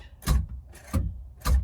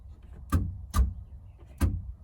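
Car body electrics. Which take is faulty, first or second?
first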